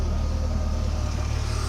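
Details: BMW E46 330Ci that would not start after a curb accident, running again after swapping fuses in the fuse box: a steady, even low rumble at idle with no misses, knocks or hunting; it is healthy.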